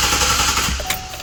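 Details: 2012 Chevy Silverado 5.3L with P0300 and P0301 cylinder 1 misfire codes, cranked in clear-flood mode: fast, even starter chatter with no uneven beats; not a compression or mechanical problem, ignition issue suspected.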